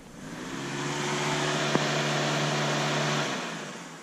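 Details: Electric cooling fan activated through an output test on a FuelTech FT450 injection with the engine off. It spins up, hums steadily for a few seconds, then winds down; it works normally.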